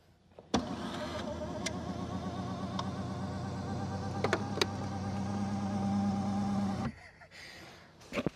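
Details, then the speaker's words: Lucid Gravity Dream Edition third-row power seat moving: steady motor drone with a warbling whine for about six seconds; reviewer suspects the seat motor is overstressed. "I don't know if you guys could hear that or not, but it sounds like the motor inside of that is 100% overstressed."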